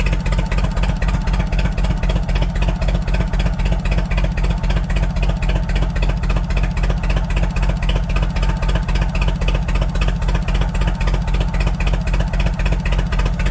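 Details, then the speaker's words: Propane forklift engine idling: lumpy idle with a steady, regular stumble about four times a second; rear cylinder dead, spark leaking from plug wire to the head, owner suspects wire. "This back one is not working, so it could be the wire. I can see it sparking at the wire, so it's sparking to the head right now."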